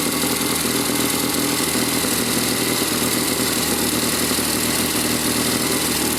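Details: 1972 Triumph Tiger 650 twin, which would not stay idling, after the Amal carburetor was cleaned and the points regapped to 15 thou; it had been parked a while. Now a fairly steady, even idle with light mechanical clatter and no stumbling.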